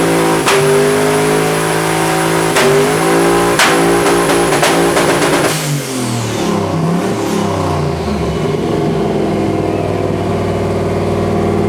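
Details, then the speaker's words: V8 at full throttle, making about 750 lb-ft, air-fuel about 12.5:1: sharp stumbles break the rising roar, suspected ignition misfire; colder spark plugs later stopped it. "What was the little hiccup that we heard? Not sure yet, but it looks like some ignition misfire from the sound of it."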